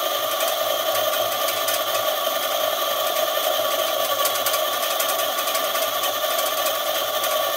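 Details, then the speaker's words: eZip electric scooter, thought to have electrical problems, on a stand with throttle clamped open and no load: steady, even high whir as the lifted wheel spins freely; motor and drive sound normal. "okay so you can hear the wheel going i have a clamp up there i see the clamp is right there just holding the throttle"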